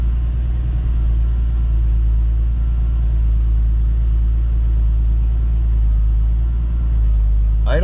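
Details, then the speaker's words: Turbo-converted BMW 733i E23, still warming up on its first drive: steady, low, even idle with a deep exhaust note and no misses or knocks; it is running well. "It's running good so far. I'll let you know when we're warmed up."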